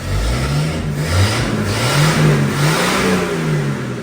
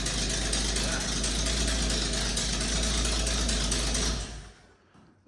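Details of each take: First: 300 inline-six, first start, running without a muffler: strong even low rumble climbs and settles smoothly with each throttle blip, no knocks or misses; engine starts and idles well, normal revving. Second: Ford 300 inline-six, first start: loud raspy chuffing from the engine bay with no deep tailpipe note, as exhaust escapes through open holes yet to be welded up; exhaust leak.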